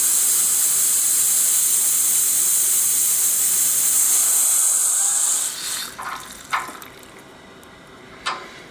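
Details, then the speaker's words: Worcester Bosch 38 CDi boiler system being bled after draining and refilling: radiator hot at bottom, cold on top; steady sharp hiss of trapped air escaping at the bleed valve, then spits and drips as water arrives; system pressure drops from above 1.5 to just over 1 bar afterwards. "So that's another radiator. You can see hot at the bottom, cold on top. Yes, there is air in there."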